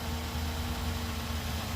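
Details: 2011 Ford Taurus just after replacing the corroded battery cable harness (positive, negative, starter and alternator); steady, even idle with a smooth low hum, no misses, knocks or rattles. Normal idle.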